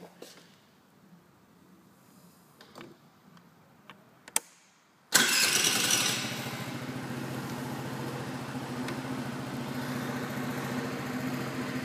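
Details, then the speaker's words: Brand-new 2012 49cc scooter with two miles on it: after a few clicks it starts right away into an even, smooth, steady buzzing idle with no misses, then a rev; normal cold start and idle. "can sound how that sounds nice and smooth starts up right away"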